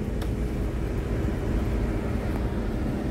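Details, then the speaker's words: Jeep Comanche MJ with a newly replaced blower motor running after repair: a steady, even low whoosh with no squeal, ticking or rubbing. The resistor works and it blows, but not out the vents. Normal blower motor operation. "the resistor is working and it seems to be blowing somewhere I do not feel it anywhere so it's blowing but"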